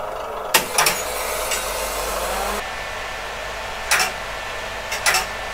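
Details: PDP-11/34A vintage computer, partly reassembled with covers on, outside its cabinet: a steady, loud, airy rush with a few handling clicks and no grinding; normal but very noisy fans.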